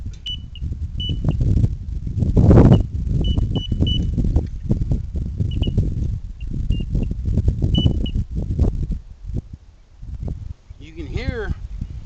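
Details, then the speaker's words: Ranch gate opener under repair: a high thin test tone cuts in and out unevenly among knocks and handling clunks, dying off as with a bad connection or power loss; intermittent tone dropout, cause suspected, not confirmed. "tone, when you get a bad connection or it's losing power, you can hear it kind of die off."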